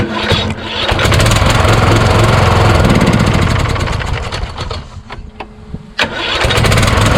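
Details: Craftsman YS4500 lawn tractor repowered with a Kohler Courage engine, about 36°F: starter cranks in labored pulses that slow, hang up and stop, retry bogs the same; owner suspects a weak starter needing replacement, not the Bendix gear; valves already adjusted to the limit.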